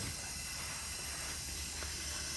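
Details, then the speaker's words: 1975 Kawasaki Z1 900 with the engine off during a leak-down test at 80 psi into the cylinder. A continuous airy hiss of air escaping, as one cylinder read 66 psi and number two showed 100% leak-off. A valve on number two is suspected bent, to be confirmed by pulling the head. "or it's been the number two cylinder it has a hundred percent leak off so the doubt the valve is definitely bent on the number two cylinders"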